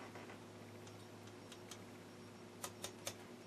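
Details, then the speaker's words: Westinghouse H-196 tube TV restoration, first power-up: faint steady high squeal over low mains hum, with sharp crackles from the speaker caused by the tone control. "It's just a tone control. Oh yeah, this TV actually has a tone control. That's also making it crackle out of the speaker."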